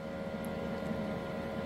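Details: Anycubic Photon M3 Max auto-feed unit after refitting the missing resin bottle washer for an airtight seal: quiet, steady buzzing hum with even pitch, no sputter or stalling; air pump running normally.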